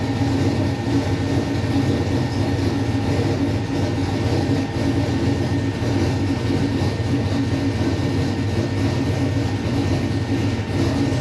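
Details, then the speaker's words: LS-swapped V8 "Bob" on first startup after conversion to methanol (catch can and second fuel pump just fitted): started right up, deep steady smooth idle with no misses or knocks; normal idle. "kind of as i expected it started right up idle and perfect"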